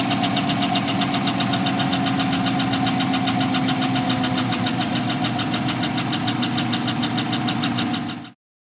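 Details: Chevy 5.3L LS V8 truck engine idling with a sharp, steady ticking of about four clicks a second over the engine note: true hydraulic lifter tick.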